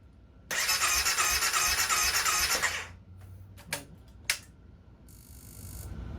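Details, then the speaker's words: 2016 CBR300R with 1133 miles, parked 7 years with a near-empty tank, on fresh gas with additive and a jump pack: the starter spins in a quick, even churn with no catch and no fuel pump prime heard. "Don't hear a fuel pump cycling. Should hear a wor of the fuel pump. Poop."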